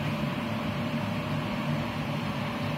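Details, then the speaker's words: Haas TM1 CNC mill spindle running after drive belt replacement and re-tensioning, with its loud spindle fan; steady low hum and constant fan rush, no knocking, grinding or squeal, sounding as it used to, though untested cutting metal. "But actually, now that's running with the spindle on, it sounds like it used to."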